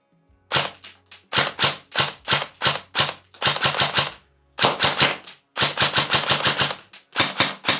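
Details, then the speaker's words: ICS DD MK18 airsoft S-AEG with 3rd-gen EFCS MOSFET, precocking on (active after 3–4 shots): crisp, snappy bursts with quick clean cycling; spritely, normal firing. "Wie gesagt, ja, mit dem Precocking, wenn ihr das Ding Standard betreibt, ist es spritzig, ist es in Ordnung."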